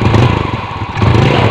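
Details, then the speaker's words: Yamaha Vega R New motorcycle, hard to start in the morning, weak pull; engine blips with a hollow, breathy note and little punch, dirty carburetor and worn-out oil before carburetor service; weak breathy acceleration. "Nah untuk suara sedikit ngempos ya Masbro untuk mesin Masbro"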